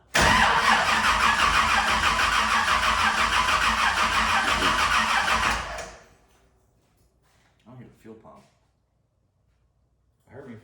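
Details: 1971 Camaro with new LS engine and Holley EFI tune, first fire attempt: even cranking at about three turns a second for over five seconds, but it never catches. The fuel pump is suspected of not working, despite 42 psi fuel pressure noted.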